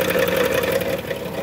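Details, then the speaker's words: Dodge Grand Caravan 3.6 L, 133,000 miles, at idle: a hard metallic rattle-ring near the transmission, fading after a second; flex plate found wobbling and cracked all the way across near the crank mounting. "basically what I did was is I looked at that flexplate with that cover off and there's cracks that you can see um towards like the mounting where it mounts to the crate um so it's split all the way across"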